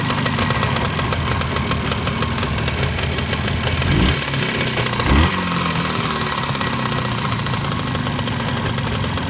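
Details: Jawa 638 two-stroke after full rebuild (cylinders bored to 6th oversize, Czech parts, new Polish crankshaft), about 80 km run, idling with a steady rapid metallic knock over exhaust rattle; cause not confirmed.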